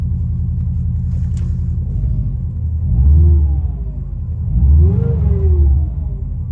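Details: 2003 Subaru Impreza WRX (GDA), EJ205 engine, 5-speed manual, 148,345 km: deep, uneven rumbling beat under the idle that swells with each of two throttle blips. Abnormal engine noise, source untraced; engine to be torn down to check.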